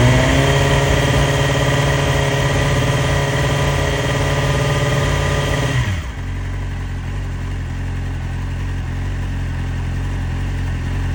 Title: 2012 Yamaha YZF R6 Rough idle? New coils, new plugs, good timing. rebuilt engine. Reason for idle?